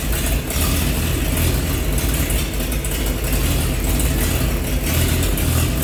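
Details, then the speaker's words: 1948 Chevy truck six, first run in 30 years after new coil hooked up, diesel in oil pan: deep, steady, even idle rumble with no knocks or misses; running good, slight steam from thermostat housing. "so well we got her started all right so you guys heard a run you know she's running good"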